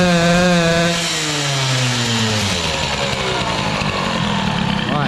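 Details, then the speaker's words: Peugeot 103 moped, air-cooled Airsal 65 hybrid with reused rebalanced Doppler crankshaft; at full throttle revs sag and blubber instead of climbing, variator not even opening; carburation far too rich, engine won't rev. "la carburation ça a pas l'air d'aller du tout parce que là quand j'ai mis le gaz là le truc qui prend même pas de tour"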